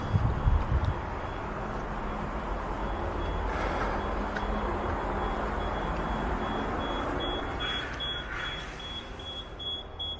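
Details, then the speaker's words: Fire alarm panel heard during a valve exercise: thin, high-pitched beep pulsing over vehicle rumble, the supervisory alert after two valves were turned, before it is acknowledged. "what we're looking for right now is we're going to the alarm panel and we just want to hear beeping and we look and make sure that there's two valves that were turned so usually I hear the beeping right now you hear it"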